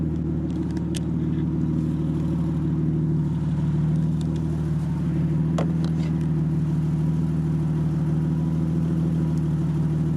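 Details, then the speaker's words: BMW E30 325i barn find, revved while parked: deep, loud, raw six-cylinder rumble with a steady throbbing beat and no muffling; rear silencer missing, mid-section only. "i'll give it a rev so you can hear what it sounds like it sounds insane it's missing the back box at the minute it's just mid-section"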